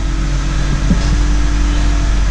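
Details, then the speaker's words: Honda CR-V power steering noise: steady low hum with faint constant whine over engine, loud racket worse when hot with steering; air entering pump past worn pressure line O-ring, to be replaced. "Hey, this is Tim. If you got a Honda and it does this, makes a lot of racket, especially when it gets hot"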